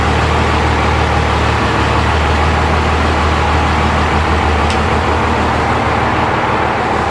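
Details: Diesel truck build on its first drive after the fuel system was bled: steady diesel clatter under road and traffic rumble, no stumbling or surging as it pulls away; engine runs healthy.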